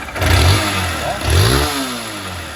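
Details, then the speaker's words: Honda CG 160 single-cylinder motorcycle: rough idle with heavy knocking on each throttle blip, struggling to hold idle and stalling, some smoke; noise began while riding, suspected worn connecting rod and/or cylinder kit, pending teardown. "derrepente pode ser ó biela aqui de cilindro pode ser os dois entendeu"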